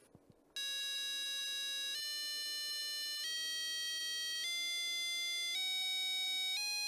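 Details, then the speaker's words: ZX Spectrum 48K sound test heard through headphones, original speaker broken: clean steady beeps stepping up in pitch, undistorted, confirming the ULA and sound output work. "well this is such a simple test but the sound capabilities of this unit are very very limited so well we know it works we know the Ula is working which is great"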